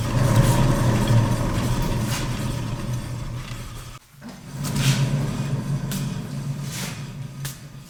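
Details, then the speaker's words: Left rear wheel bearing, hand spin test with no play felt on shake test: coarse, loud, growly rumble that fades as the wheel slows, a bad worn wheel bearing to be replaced. "so you should be able to hear that bearing it's quite loud and very growly this is obviously the bad wheel bearing"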